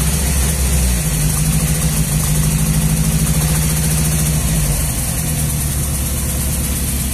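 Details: Nissan 200SX misfiring at idle: loping, irregular beat in the low rumble, about three pulses a second.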